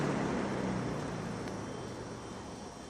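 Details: Vintage McGraw Edison Zero box fan, about 1970s, freshly cleaned and motor oiled after years; smooth soft whoosh over a low steady hum fading evenly as it coasts down, no rattle or ticking; normal running.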